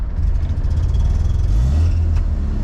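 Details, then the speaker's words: 1979 Mazda RX-7 rotary that sat over 10 years, just started on its rebuilt original carburetor: deep, loud idle surging and wavering while cold and warming up; owner plans to tune it later. Rough idle. "Alright, it's running. Alright, it kind of idles. It's not great at idling, but I can tune that a little bit"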